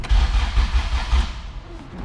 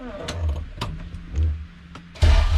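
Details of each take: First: All-motor LSV Honda EF hatch, after refitting starter and fixing loose ground-strap bolts on the clutch-cable bracket, distributor unplugged: quick, even cranking pulses under a second; starter turns the engine over normally. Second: All-motor LSV Honda EF hatch on Hondata S300, coolant being added, throttle body adjusted out: cranks two seconds, catches and holds a fast steady idle well above normal; idle speed too high, throttle body to be adjusted down.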